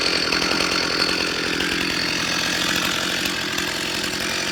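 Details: Stihl MS361 chainsaw with new aftermarket cylinder and piston, 28-inch bar and full-comp RS chain, first run on a tailgate: high, steady revs with a crisp, even note, no misfire or bogging; running healthy.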